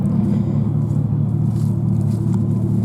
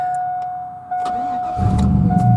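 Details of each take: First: 2001 GMC Sierra at idle: deep, loud, rough rumble with an uneven puffing pulse from a rusted-through muffler with a sizeable hole; exhaust leak from holed muffler. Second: 2001 GMC Sierra 4x4 budget flip: brief crank, catches at once and settles into a steady even idle; reliable starter every time.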